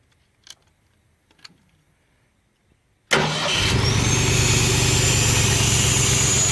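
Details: Ford 302 V8 powering an air compressor, HEI distributor replaced by the old points distributor: cranks briefly, catches at once and settles into a steady, even idle with no misses or knocks; normal idle.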